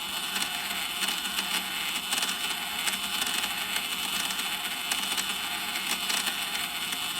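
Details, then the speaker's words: Dolphin Nautilus Plus pool cleaner during power-up self-test after impeller motor brush-board wire re-soldering, wheel drive motor running forward and backward: steady high whirring with no grinding or knocking, controller sending 26V to impeller; normal drive motor self-test. "So that's the wheel motor doing its thing. And there's the voltage. It's going to send 26 volts to the impeller motor."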